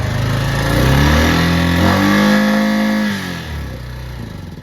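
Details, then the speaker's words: Honda Rubicon 520 DCT single-cylinder engine before valve adjustment: revving up and dropping back with a light, quick ticking that follows engine speed. It is hard to start when cold. Valve tap from loose valve clearance. "So you can hear the tap, and a lot of the time when these Rubicons get, that's pretty bad."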